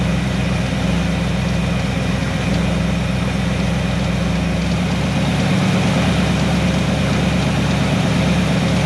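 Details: 1970 Chevy C10 with a 327 small block and HEI distributor that runs rough and starts hard from bad ignition timing. Started cold and warming up before the timing is set, it gives a deep, even V8 idle with no misses or knocks.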